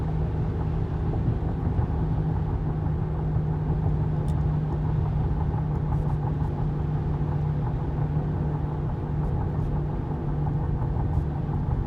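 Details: 2015 Honda Pilot, 59k miles, driving at constant speed: a steady low hum from the front end rides over road rumble; owner unsure if tires, wheel bearing or differential.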